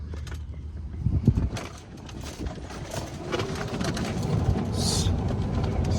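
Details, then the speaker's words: Club Car Precedent golf cart with a Madjax Triple Track roof, driven over bumpy ground after the squeak fix with bolt-type fasteners: only road bumps and light rattle are heard, with no roof squeak, so the fix worked. "quiet already but there's one test that's at the head of the next Road it's really bumpy right there super quiet"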